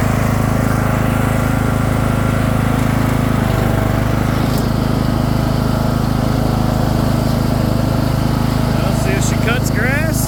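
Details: Craftsman II lawn tractor with a swapped-in newer engine and a bad key switch: small single-cylinder engine holds a steady, even drone, no knocks or misses; running normally.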